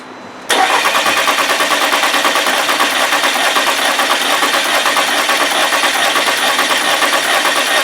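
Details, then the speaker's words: 2015 VW Tiguan 2.0T GDI with P0304 and a flashing check-engine light, cranking with all coils unplugged: uneven rhythm, first sounding like normal compression then changing, one beat lacking compression; suspected cylinder 4. "so that to me is the sound of no compression in one cylinder what it was interesting is at first how it sounded like it did have compression and then you could hear that change"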